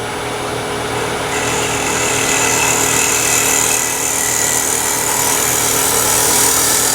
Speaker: there's that vibration when you're eliminating vibration you go back and make that cut the second time sometimes you hear the vibration a second time it's the marks on the wood that are still there